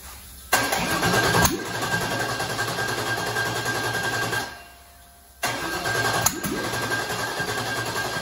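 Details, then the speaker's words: Rebuilt aluminum 5.3 turbo LS in a 2014 Dodge Grand Caravan swap, first start with hardwired harness, running very rough and stumbling; tune still set for 80 lb/hr injectors while 29 lb/hr injectors are fitted, so fueling is very lean. "we're getting somewhere this is really really rough looking be yeah that might do it"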